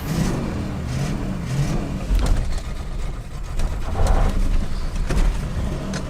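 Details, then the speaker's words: Mercury Cougar revived after 40 years, on its first drive: uneven, stumbling V8 that surges and sags with sharp pops, with wet ignition causing misfire. "oh it died it ran backwards did you hear that that's exciting it's super flooded right now"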